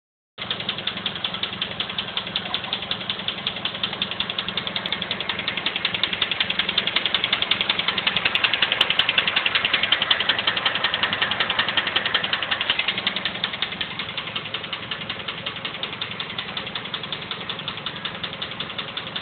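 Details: Mazda 3 petrol engine idling: sharp, steady clicking about three clicks a second over the idle. Engine clicking noise, cause unknown.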